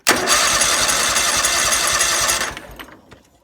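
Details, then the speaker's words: John Deere X324 mower with an electrical arcing problem: the starter spins the engine at a steady chug of three to four beats a second for about two seconds, normal cranking, and the engine later starts and stays running. "engine started it turns over well shouldn't say turns over engine starter that tries to start the engine"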